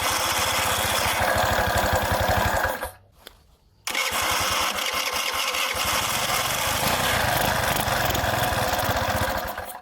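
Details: Two-stroke engine that floods and stalls when the throttle is opened, spitting back into the carburettor; rich black plug. Piston kit, valve, CDI, coil and plug already replaced and carburettor rebuilt. Rough, pulsing note dies to silence for about a second, then catches again; won't hold idle.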